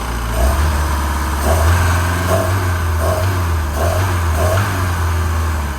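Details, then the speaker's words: MerCruiser 3.0 inboard in a Stingray 192 RX boat, water hooked up, plastic shield on the flywheel area: low, even idle hum with steady firing and faint periodic splashes; normal healthy idle. "should be good to go got that plastic Shield hidden on the flywheel area but other than that she sounds good"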